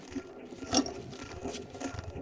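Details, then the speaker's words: Ball bearing from a heavy-duty transfer case being overhauled, turned by hand: quiet uneven crunchy rattle, with pitting visible on the cage and probably on the balls and races; worn bearing. "We can hear how it rattles. And you can actually see pitting on the separator. I'm pretty sure there will be similar pitting on the balls, on the races, and so on."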